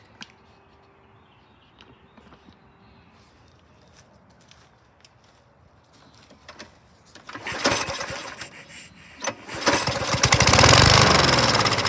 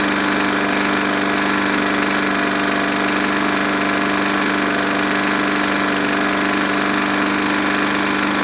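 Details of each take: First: Lawn mower from a scrap batch, no carb cleaning yet: a few quiet seconds, then it catches first pull and settles into a strong, even run; good compression. Normal start and run. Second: Junk walk-behind lawn mower running on just enough fuel after priming, air filter and cover missing, reportedly very smoky: a busy single-cylinder buzz at steady speed with an uneven rattling tap about once or twice a second; cause still to be checked.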